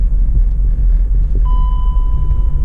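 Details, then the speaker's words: BMW X5 with timing slipped one tooth, per a mechanic's diagnosis: deep, lumpy, bouncing rough idle, shaking, little to no power in gear, misfire audible from tailpipes. "it's got little to no power and it's shaking all over the place and it just doesn't sound all that great you can kind of hear the misfire out of the tailpipes"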